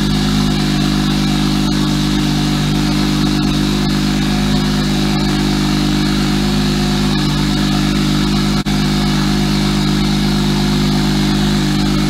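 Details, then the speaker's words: Single-turbo BMW 335i idling after first start in three months stored in Canadian winter: steady, even idle with smooth low drone and no misses; running fine after brief initial roughness. "I thought it was gonna struggle to start up a little bit at first, but it started up no problem. And obviously it ran a little rough at first, but listen to that idle right now."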